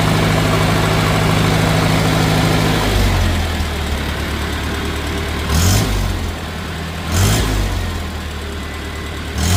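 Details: 1950 Farmall Cub on its first startup after an engine rebuild with pop-up pistons: a light, fast tick-tick over idle quickens with throttle blips. Two loose exhaust manifold bolts were leaking, and tightening them cured it.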